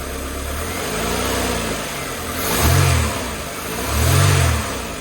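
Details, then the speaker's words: 1988 Mercedes 190E W201, cold, just restarted after valve stem seal replacement and a refuel: uneven idle whose note swells and sags about once a second, a light misfire; cause suspected, not confirmed. "But to be honest, it kind of misfiring a little bit."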